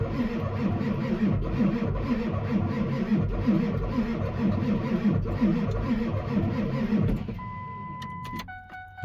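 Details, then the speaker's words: Ford 7.3 Powerstroke diesel after KC300X turbo and oil cooler install, dry-start cranking with tuner, no oil pressure yet: slow uneven starter about three beats a second that sags and dies; batteries dead, needs a jump. "And batteries are dead. So, we're going to jump it, I guess."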